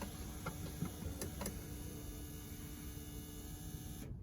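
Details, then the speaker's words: 2004 BMW 330Ci E46 convertible after fuel pump assembly replacement; car had run as if out of fuel; ignition switched on: a few light clicks, then an even faint whirr for about four seconds that cuts off cleanly; normal fuel pump priming. "Let's just turn this ignition on and see what happens. There we go, and we can hear that motor go. Now it's stopped."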